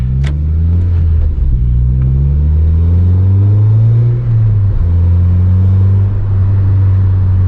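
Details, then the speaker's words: 9th-gen Honda Civic Si with a newly installed Acuity cold air intake, heard from inside while driving and data logging: the engine pulls smoothly through the gears with a deep even drone and steady intake air rush, sounding best above about 4,000 rpm; normal intake noise. "so once you get up to about 4 000 rpm that's when it really starts to sound good"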